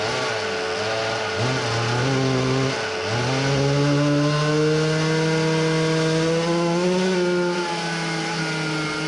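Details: Samurai 40cc two-stroke minibike engine on a dyno pull after a new chain and a shortened tuned exhaust, running lean and nearly out of fuel. It revs up, stumbles and sags twice, then climbs unevenly; bogging under load, likely fuel starvation.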